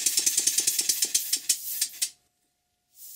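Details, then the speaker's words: Model steam engine gives sharp, hissy knocks about eight a second that slow and stop; the valve timing is off, and the piston rod gland and a drain are also blowing slightly. "but you can also hear that the valve timing is not what it should be"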